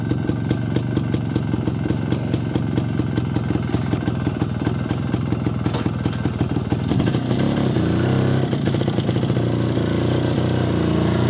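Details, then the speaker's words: Jawa 250 two-stroke after engine repair, carburetor retuned with self-drilled ~0.66 idle jet and 95 main jet: quick even crackle picking up cleanly and settling without revs hanging at idle; carburetion now well sorted. "eikä jää tyhjäkänä leijumaan niin pitkäksi aikaa niin alkaa olla ihan hyvä"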